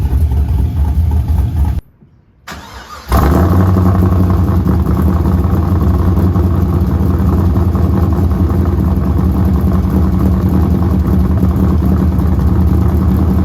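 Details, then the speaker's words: Pontiac GTO V8 after replacing a bad IAC valve: short start, then it settles into an even, steady low rumble with no stumbles or hunting. Clean, normal idle after the repair. "at least we can confirm that the IAC was bad so here's the part number um we'll see if this lasts but at least now she runs"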